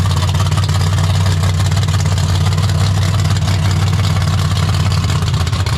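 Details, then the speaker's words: 1972 AMC Javelin with an AMC 401 bored and stroked to 431, aluminum rods and a stroker crank, built in 1996 and first run only the day before: deep, even, lopey V8 burble with no knocks or misses; normal idle. "So pretty wild it runs as good as it does."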